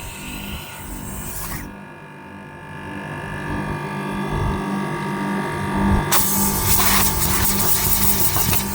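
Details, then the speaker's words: AC outdoor unit started directly via MCB: steady compressor hum with fan whoosh building in after a few seconds, even and smooth; compressor and fan motor starting and running normally. "यानी अब आपका compressor चालू हो चुका है।"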